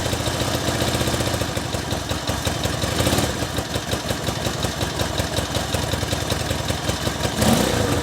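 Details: 1964 Honda CA95 Benly 150 twin at its first start after 30 years stored, started on the electric start with a new throttle cable and a flushed tank: a quick, even idle patter, and a couple of throttle blips rise and settle cleanly. Normal idle.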